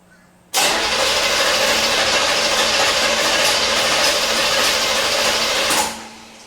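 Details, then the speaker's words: 1977 Corvette not started in over 6 years, distributor disconnected so it won't start, fresh oil: steady even cranking about five seconds at roughly 200 beats a minute with no misses or drags; normal cranking, decent compression hoped. "well it sounds good it's cranking"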